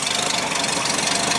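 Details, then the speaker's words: Ford Falcon 170 six after fixing hesitation at the carburettor spacer and gaskets, timing set to 4 degrees, points at 0.025: quick, even idle with busy ticking top end, no stumble; still smoking some but no longer dies idling. "it sounds like it's got a little bit of still smoking some but it drives around good and it doesn't die when it sits there idling because that's what i was doing before"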